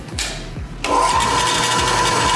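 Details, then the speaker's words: Ellis 1600 band saw with a new replacement motor, plugged straight into an otherwise unused outlet: the motor spins up, sags and falters, then catches into a steady whine with a rhythmic low thump, like the previous motor; stumbling on startup. "well that's what the last one did the last one would stumble the first time and the more you use it the better"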